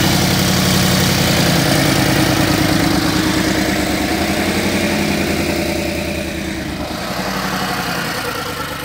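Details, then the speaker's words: 2010 BMW 750 N63 with a used replacement engine, runs rough: loud, lumpy idle with an uneven throb and slight sag; trouble code and scope show exhaust camshaft bank 2 out of time. "there's the error code and right away you get exhaust camshaft two basically out of time"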